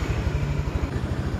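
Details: Honda Click 110i scooter idling steadily with a low, even putter and no knocks or misses after valve lapping; it previously wouldn't start by electric starter, compression measured about 49, rising to 66.5 after lapping.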